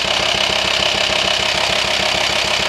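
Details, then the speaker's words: VW T5 Transporter 2.5 TDI at idle: fast, even ticking knock over the diesel clatter, steady with engine speed, with pulsing felt in the hose to the air box; worn camshaft lobes and tappets confirmed, needing new camshafts and lifters. "Knocking the way you feel it you feel it mostly you feel the vibration from the hose to the air box and when you disconnect the hose it's obvious it sucks in there so unfortunately we have just diagnosed A Worn chem shift and tap it so it's kind of a big job"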